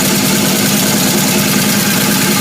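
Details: 1978 Camaro with a bad lifter and worn camshaft, smoke coming from the damaged left side of the engine: light, fast ticking at idle over a hissy, airy background; lifter tick from worn camshaft.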